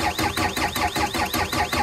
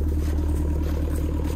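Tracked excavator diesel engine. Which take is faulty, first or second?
first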